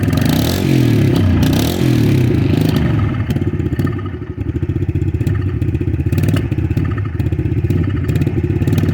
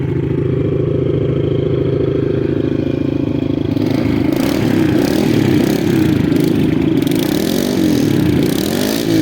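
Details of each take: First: Cold Yamaha TTR 110 single-cylinder with stock carburetor and choke off: stumbles and bogs as the throttle opens, uneven chuffing instead of a crisp rise. The stock carb is blamed, with a KLX 110 carb swap as the fix. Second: Kawasaki KLX110 with stock carb, cold start, choke on, compared with TTR110: small single revs cleanly, instant crisp throttle response, no bog.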